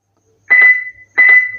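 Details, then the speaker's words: SSBright Avenger SG-13B Bluetooth speaker, switched on and not connected to a phone, automatically starts sharp high beeps in quick bursts about every half second after a few seconds; cause unknown. "यह automatically यहां पर कुछ second बाद यह automatically beep sound आने लगता है।"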